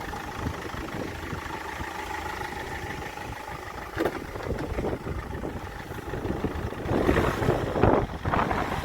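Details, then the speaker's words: Land Rover Freelander 1 with the 2.0 TD4 BMW diesel, 174,000 on the clock, cold, after replacing a failing crankshaft pulley that had made the engine knocky and noisy: a steady, even idle with no knock, its tone markedly improved. "i can tell you this is the dust that i was telling you about from the pulley so there's a massive difference in the tone of that engine"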